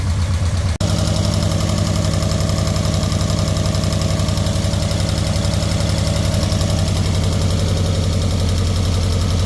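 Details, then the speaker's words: Nissan 240SX four-cylinder after refurbishing injectors, new fuel pump, cleaned tank, new fuel lines and filter, idling evenly with regular exhaust pulse and no misfire, timing still to set; normal idle on all four cylinders. "there it is and runs on all four cylinders"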